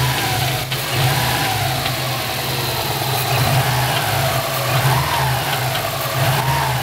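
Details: Subaru engine revved and allowed to fall; as revs drop, a light tinny metallic rattle comes from the turbo area, cause undetermined; metallic rattle on deceleration.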